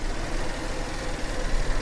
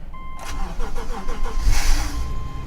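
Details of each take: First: Rolls-Royce at an auction yard: a deep idle drone with an uneven, lumpy stumble that is a little rough and improves as it runs, pointing to a misfiring cylinder. Misfire causing rough idle. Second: 2013 Subaru at an auction yard, cold start at 38° outside: door chimes, a brief quick crank that catches cleanly, then a smooth, even idle; it runs great. Normal start and idle.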